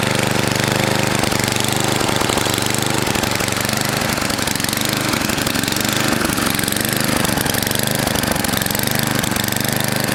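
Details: NOMA 8hp snowblower, Tecumseh-type single-cylinder, cleaned carb refitted: loud idle surging and sagging about every second, governor hunting back and forth; bottom mixture screw fully in, carb tuning needed, cause not confirmed.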